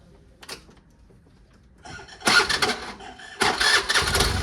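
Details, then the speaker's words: Old Bajaj Pulsar in restoration, jump-started from a scooter battery after fitting an original-size used part: fast, light, smooth whirring cranking with no firing; starter suspected not engaging properly with its magnet; starter spinning without engine catching. "Basically अब क्या हो रहा है ना इसकी आवाज सुनो इससे मुझे लग रहा है कि ना जैसे जो स्टार्टर है ना व एंगेज ढंग से नहीं हो पा रहा है"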